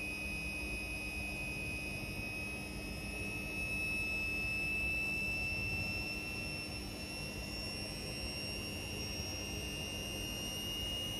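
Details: Indesit Innex XWSC61252 washing machine, brought in for not draining, on spin test after repair: quiet, steady high motor whine, no scraping or knocking; speed dipped noticeably when the high-speed motor coil engaged, cause unknown; drum spins normally.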